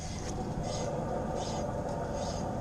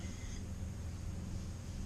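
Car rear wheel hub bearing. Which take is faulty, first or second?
first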